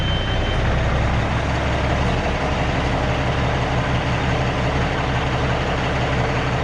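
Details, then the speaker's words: Peterbilt 379 with an ISX Cummins after a stuck, dirty part was cleaned and a loose one found. It gives a steady, even diesel idle with a smooth low rumble and no misses; it sounds smoother and burns cleaner than the heavy smoke earlier that morning. "I think we've gained a lot. It sounds smoother too. Just let it idle."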